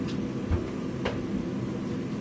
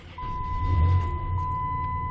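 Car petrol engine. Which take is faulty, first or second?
first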